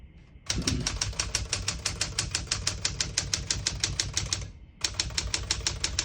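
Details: 1968 Smith-Corona Super Sterling portable manual typewriter: crisp, even keystrokes about three a second, a short pause, then typing resumes; the mechanism strikes cleanly and evenly, working properly.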